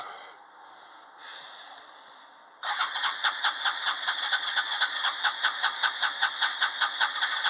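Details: ATV cold start with choke, starter button and a little throttle: the starter cranks in steady pulses about two and a half per second, but the engine never catches. Cranks but will not start.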